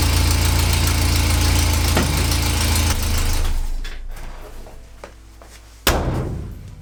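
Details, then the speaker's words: Renault 4L idling after new condenser and points, carburettor work and timing/mixture adjustment: steady, even low idle about four beats a second, no misses or knocks, then fading out; sounds healthy, runs much better. "donc grâce à ça il fait un meilleur bruit tourne beaucoup mieux on a aussi réglé la vence régler la richesse"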